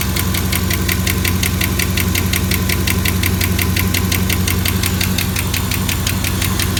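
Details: Chevrolet Camaro SS L99 V8 at idle with sharp, even ticking about three per second from the top end; suspected lifter tick.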